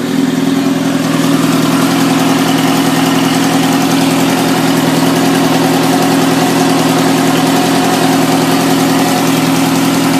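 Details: 1997 Suzuki GSX-R 750 with 19k miles: fast light ticking over a busy idle that follows the revs. Top-end ticking; owner suspects it needs a valve adjustment and a new cam chain tensioner.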